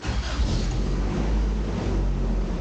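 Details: 1988 Toyota Pickup (Hilux), off road about five years, after new fuel pump, fuel lines, alternator (battery light seemingly fixed) and bolts: steady low rumble at idle, smooth and even with no misses or knocks; running healthy.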